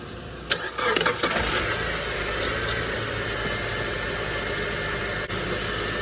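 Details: 2003 Honda Element just after serpentine belt replacement, belt checked as seated on every pulley: the engine catches quickly and settles into a steady, even idle with no flapping or chirping from the belt; sounds healthy.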